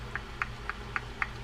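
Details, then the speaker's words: 65-year-old Ocean City 981 conventional fishing reel after service, side plate adjuster set: light evenly spaced clicks about four per second as the spool turns, just a slight knock; spool end play properly set, free spool spins freely. "You want to use your side plate adjuster so that you just have a little bit of a knock."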